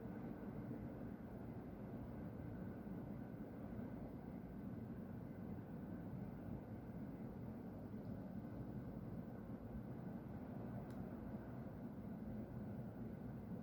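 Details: Distant constant low roar with a faint hiss and no pitch change from the industry beside the recorder's home, past midnight on 30 June 2020; owner suspects a compressor being emptied, with white smoke near a tower; unconfirmed.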